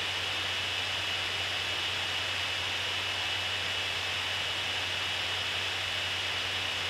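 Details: GigaByte P34G 14-inch laptop rendering video: steady loud rushing hiss with a thin high whistle, no speed change; cooling fans running flat out under load.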